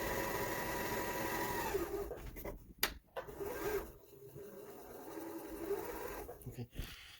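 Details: Kenmore 385-19550 sewing machine after a service for wrong pattern stitches, poor speed control and noise: quick, even needle-mechanism ticking with no rubbing or scraping; it runs clean.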